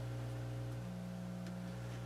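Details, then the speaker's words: Dual 506 belt-drive turntable with a loud hum complaint: low steady mains hum with a faint buzz, louder on the right channel but on both; a broken or poorly grounded signal cable with a loose outer shield is suspected. "It's on both. Yeah. Is there a broken wire here? [Music] Seems like maybe it's broken right here."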